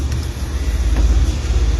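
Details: 2015 model engine with check engine light and misfire code, spark plugs being inspected for electrode gap and carbon. A low, steady rumble with a gentle even pulse and no stumbles or skipped beats: the engine is idling smoothly.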